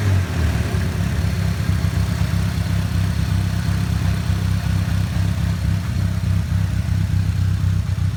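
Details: Nissan Silvia S15 at idle after full respray with engine removed and refitted, ran perfectly before: deep uneven loping beat about four pulses a second, wavering; rough idle, cause unknown.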